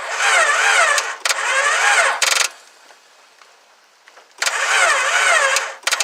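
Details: 2000 Honda Accord cranks in two fast, steady bursts of about a second each with no firing; crank no start. Owner suspects timing and hopes the motor is not blown.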